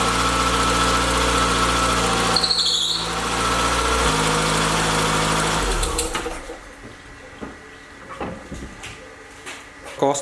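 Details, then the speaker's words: Mk1 VW Citi Golf starting first time after reconnecting the battery, following an engine bay wash: high, steady belt squeal over the idle that fades as it settles. Water on the drive belt makes it slip. Some exhaust smoke is product burning off. "started first time, that noise that you might have heard was just the belt, water got on the belt obviously, so it made that noise,"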